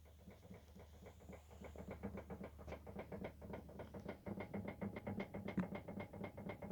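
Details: Volvo XC90: sharp, irregular knocks, three or four a second, from the steering area, occurring only with engine off; no steering play while driving; cause not yet identified.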